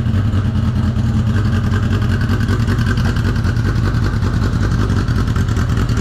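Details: 1983 Honda CB750 first start after sitting at least 10 years, tank removed and running on an external fuel source: deep, steady inline-four rumble, even with no knocking or misfire; normal idle.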